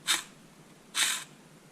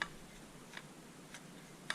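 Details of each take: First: 2000 Camaro 3.8L V6 5-speed: the old clutch release (throwout) bearing, removed during clutch replacement, gives short gritty rasping whirs when spun by hand. The bearing is worn and confirms the noise heard before the repair. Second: Nothing. Like, that's good. That's how it's supposed to sound.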